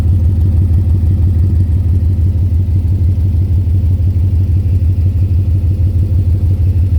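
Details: 2010 Ford Mustang GT V8 at idle: a loud, deep, regular knock about three per second, louder by the oil pan and torque converter/transmission. Told it could be rod knock or lifter tick; owner also suspects a loose torque converter. Undiagnosed.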